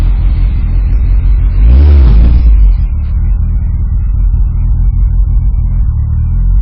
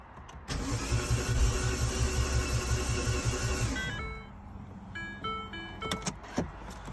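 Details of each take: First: R56 Mini with big turbo fitted, after subframe work: deep, steady low rumble with one quick throttle blip near two seconds, settling back to an even idle; normal idle, healthy. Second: R56 Mini with big turbo fitted, first start attempt after subframe work, exhaust not connected: steady even cranking about three seconds, never fires; fuel smell but no leak seen; cause found to be incorrect engine timing, no start.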